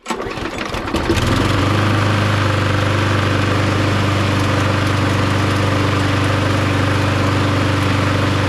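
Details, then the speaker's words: Mountfield lawnmower with Briggs & Stratton Quattro 10D902 HP470/SP470 petrol engine, just serviced, fresh fuel, HT lead reconnected, test run. Catches after a brief pull into smooth even single-cylinder beat; starts and runs as expected, normal. "there we go starts and runs just as expected"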